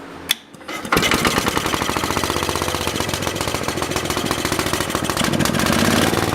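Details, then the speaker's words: Universal model 42 RSS generator (plate reads 3500 W at 1800 RPM, described as actually 2500 W), cold start after 5 years; after choke turned off, single-cylinder engine runs briskly and evenly at steady governed speed, firing cleanly with full power; earlier slow running was caused by the choke left on. "Okay, something I just realized. This thing was running with the choke on. That's why it was running so slow."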